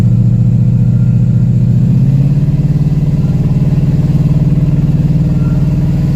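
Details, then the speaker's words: 2001 Chevy 2500HD 6.0 V8 with 4L80E, first drive after sitting a couple of years, slight miss suspected from old fuel: rhythmic whooshing pulse about four times a second over the V8 rumble, quieting as surface rust wears off; rusty brake rotor noise. "Yep, still doing good. That noise is quieting down. The brake rotors are starting to slick back up and get all the rust off of them."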